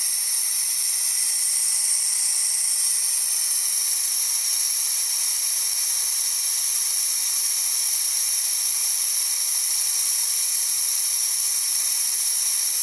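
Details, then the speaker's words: DeWalt D55146 air compressor: with the motor stopped, a steady high hiss as tank air bleeds back through a leaking check valve, so pressure drops and the compressor kicks on again around 160; check valve needs replacing. "as you can see it's going back down and it's going to kick on again about 160 or so and that's again because that check valve is letting the air"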